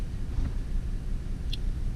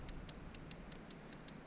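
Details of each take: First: 2004 Cadillac CTS 3.6L V6 at idle: deep, uneven, shaking idle with a stumbling pulse from a cylinder 3 misfire. Codes P0203, P0300 and P0303 point to a faulty injector 3 driver in the ECM. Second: 2004 Cadillac CTS 3.6 V6 with misfire codes: powered fuel injector gives crisp, even ticks about five a second, showing the injector is good; fault traced to ECM injector driver.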